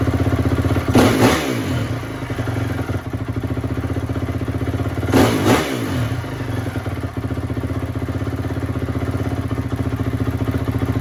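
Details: 2004 Honda CRF250 single, freshly rebuilt, running after gunk was cleaned out: steady idle with two quick, clean blips rising and falling crisply without popping or stumbling; healthy engine.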